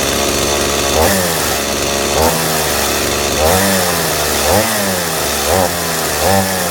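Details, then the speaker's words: Stihl MS180C chainsaw after fixing cracked fuel tank at grommet, carb rebuild considered: raspy two-stroke buzz with blips, pitch sagging briefly before recovering; slight low-speed bog, mainly cold; owner suspects richer ~32:1 break-in mix. "Just when it's cold, like it has a little bit of a bog to it, a little more than normal with a two-stroke, but it does run pretty good once it's warmed up."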